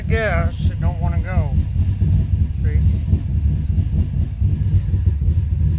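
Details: 2005 Subaru Forester XT at idle, audibly missing; owner found a coil issue and thinks it runs rich. Low idle that lumps and stumbles unevenly instead of holding a steady beat; rough idle, cause suspected, not confirmed.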